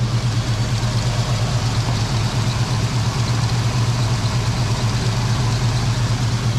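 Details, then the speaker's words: Foxbody Mustang 5.0 V8 with a low even burble holding a steady idle, no hunting or surging. This is right after cleaning the dirty EGR valve, which the owner believes caused the long-standing rough idle and surge. "the idle sounds so much better I'm gonna guess that that EGR valve was my issue and I think I'm Gonna Leave idle right around right around 1K"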